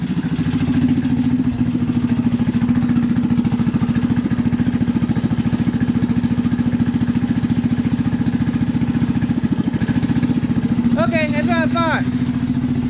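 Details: Rat rod engine after fuel problem fix, running on choke before pulling out of the garage: steady, even low thump at fast idle, about three and a half beats per second, smooth.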